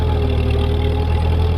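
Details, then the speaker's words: Ford 8N tractor with German transmission locked in low gear, clearing snow: steady low engine drone with constant gear hum on top; more gear noise because it is in low gear, normal. "you hear a lot more gear noise with this tractor cuz it's in low gear and uh that makes it I think that makes it better for this job"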